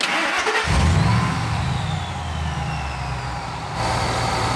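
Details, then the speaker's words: Supercharged SVT Lightning V8, just after fixing a vacuum leak from a PCV hose that was not fully seated. Earlier it had a misfire with a flashing check engine light. It fires first crank, revs, then settles to a smooth, even idle with the tailpipes no longer shaking. "smooth guys that is very smooth remember before this was shaking around it just idled down the tailpipes aren't shaking i think we might be all right"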